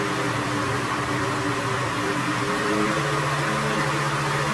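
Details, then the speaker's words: Older, restored Weed Eater mower with a Briggs and Stratton engine, after fixing a no-spark issue: a steady buzz running a bit too high on RPM, whose pitch steps down after three seconds as the speed is set lower. "I'm going to go ahead and bend it in a little bit because it's it's running a little too uh little too high on the RPM side"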